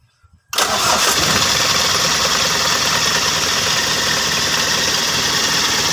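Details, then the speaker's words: Mitsubishi L300 diesel that is sometimes hard to start on cold mornings, restarted after heater-plug wiring current and relay restored: fires instantly on the first turn and settles into a steady, even clatter with no stumbling; normal diesel start. "di sini mau kita coba hidupkan mesinnya setelah kabel pemanas sudah normal kembali"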